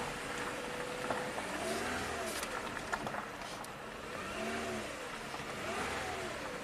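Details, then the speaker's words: 2013 Lexus ES350 U660E transmission, 185k miles: steady high pump whine and cavitation over the revving engine with no forward drive, reverse works; codes for pressure control solenoids A and D stuck off. "hear the pump whining and cavitating."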